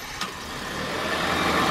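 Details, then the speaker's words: Honda with VTEC, demolition derby car: starts and settles into a smooth, steady run with no knocks or ticks; runs quietly like a Honda, healthy. "like a Honda it definitely runs like a Honda do you don't make noise or nothing"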